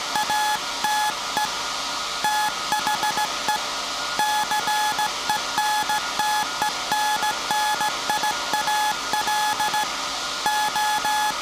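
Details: SAQ Grimeton 1924 Alexanderson alternator VLF transmitter on 17.2 kHz CW, December 1st 2024 centennial transmission, punch tape transmitter soon to stop and hand over to hand keying: clean, steady mid-pitched tone keyed in short and long beeps; normal Morse keying, nothing abnormal.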